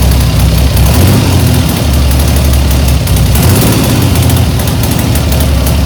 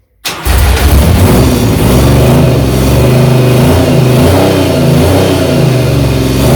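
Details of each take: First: 1975 Triumph Trident T160 triple, first start after full rebuild, brand new engine: steady even low rumble at raised revs on choke, no knocks or misses; running cleanly. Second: 1975 Triumph Trident T160 triple on first electric start after full rebuild, with exhaust fitted loosely, catches and revs hard with a raw, loud open bark and rasp as the exhaust comes off at the header and blows.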